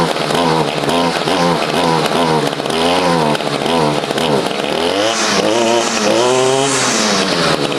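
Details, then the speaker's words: Stihl FS55 trimmer after carburetor replacement and adjustment: the clutch engages on trigger squeeze and the small two-stroke buzzes steadily, swelling and easing without stalling. It is a normal, happy idle. "We'll squeeze the trigger here, and you can hear this is a happy engine. Everything is now working as it should."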